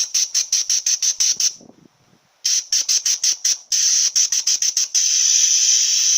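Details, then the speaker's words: Bench air test at 70 psi of the torque converter clutch solenoid from a 1996 Jeep Cherokee 4.0 petrol A340 (AW4) automatic; sharp hissy air bursts chopped on and off about three times a second as power is cycled, the normally open solenoid opening and shutting cleanly. "So when we put power to it, it closes. No power, open, power, closed."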